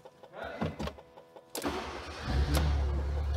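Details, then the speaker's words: Fiat Punto GT 1.4 that would not start because of an immobilizer block on its Bosch M2.7 ECU, with the key light blinking: after the ECU is unlocked, a few quiet clicks, then it catches at once and settles into a steady low idle. "ξεκλειδωνοντας ξεφτιζω ένη η μονάδα του mobilizer το αυτοκίνητο πήρε μπρος"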